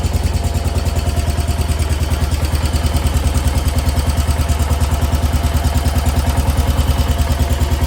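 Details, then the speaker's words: 1968 Case 155 hydrostatic garden tractor, sat over 20 years: even, steady putt-putt at about three beats a second with no misses or clatter; normal idle. "man listen to an idle that's crazy sitting that long these old engines and tractors never cease the [Music] amazement"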